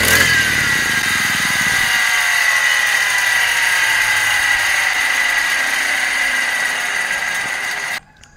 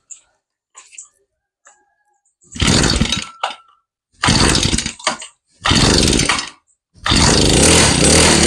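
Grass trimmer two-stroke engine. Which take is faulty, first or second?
first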